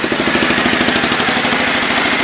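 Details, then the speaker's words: 2000 Aprilia Pegaso single on the stock dual exhaust, idling fast with the choke on: sharp, crisp puffs on every firing stroke from a leaking exhaust joint, before the exhaust was replaced; exhaust leak. "now you can hear the exhaust leak and the choke is on right here where that exhaust Le keeps happening"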